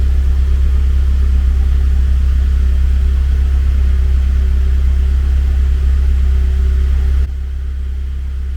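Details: Car that would not start because its rarely used battery ran down, after recharging it to 12.73 V and refitting: deep, steady, even idle rumble with no misses, knocks or rattles; running smoothly.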